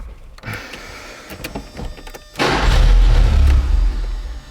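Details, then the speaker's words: 1983 Porsche 944 with its new Autozone starter after refitting the popped-loose shift fork: light clicks, a short starter whirr, then the engine catches quickly and runs loud and steady; starter now engaging properly. "That worked, do it again. Worked, one more time. Fixed."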